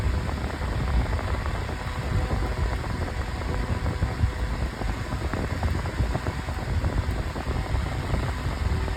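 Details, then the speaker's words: 9-inch Airtek high-velocity fan on high speed, very loud but blowing a lot of air: steady loud rush with even hum, no ticking or rubbing; normal running. "All right, now here is high. And on high it's very loud, but it's blowing a lot of air."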